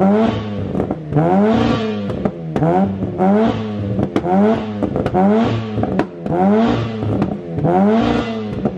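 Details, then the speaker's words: Warm Mazda 13B rotary (RX-8 engine) in E36 ute after oil cooler install: repeated quick blips about once a second, crisp buzzy rotary note, clean return to idle each time; runs healthy, no oil leaks. "huh well they have it the oil cooler is installed this thing runs magically"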